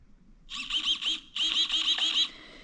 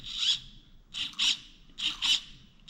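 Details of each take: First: New 35 kg throttle servo (replacing 9 kg stock) on a nitro Traxxas Slayer Pro, powered but not yet linked: short high-pitched whirring bursts as it sweeps back and forth with the throttle; responding normally. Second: Upgraded 35 kg throttle servo (replacing 9 kg stock) on a nitro Traxxas Slayer Pro RC truck: short high-pitched buzzing whines in paired bursts about once a second, straining and bending the linkage; forward throttle endpoint set too far, being reduced from 90% toward 75%.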